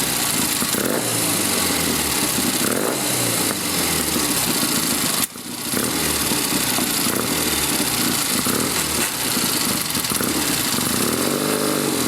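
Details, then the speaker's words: 1972 Triumph Tiger 650 twin after cleaning and adjusting the Amal carburetor and points gap, bike long parked; slightly uneven idle that keeps running without dying; idle improving, piston rings need reseating with road miles. "Well, sounds like it's on its way to being able to idle again."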